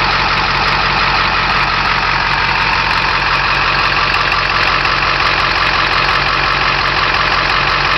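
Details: Direct-injection engine at about 30k: idle carries loud rushing hiss over the engine beat, air puffing out steadily; heavy crankcase blowby.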